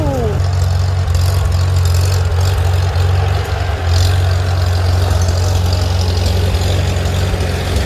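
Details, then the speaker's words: Steady, even low rumble at idle from a carbureted engine after carburetor adjustment and clean non-ethanol fuel; it idles smoothly, though fuel-tank feed problems remain under load. "and you can hear it idle and it idles really nice"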